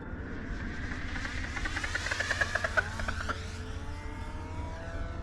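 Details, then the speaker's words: E-Flite V-1200 RC plane stripped to bare foam: motor goes quiet and the airflow spins the prop, an airy rush with a falling whistle; normal windmilling on a glide. "the sound it makes when the wind drives the prop instead of the prop driven by the motor."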